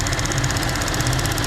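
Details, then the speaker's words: 2014 GMC Acadia at warm idle with a light, steady ticking of about fifteen a second that sounds like lifter tick; it quiets when the purge valve is unplugged, confirming a bad purge valve. "There's the ticking. You can really hear it now. Sounds just like lifter tick."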